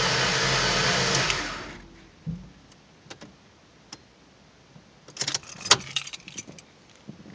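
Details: 2005 Mustang V6: starter spins the engine steadily for under two seconds, then stops dead with no firing, just clicks and handling noise; cranks but won't start after a sudden shutdown.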